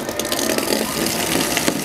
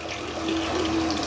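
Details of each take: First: Shimizu water pump drawing from a distant water source: an even, steady motor hum with a light rattle, no surging or grinding; running smoothly and normally. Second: Shimizu water pump deliberately run until the water source is empty, check valve fitted: gurgling, sputtering flow with a wavering hum and no steady stream; the pump is running dry and drawing air, harmful if prolonged.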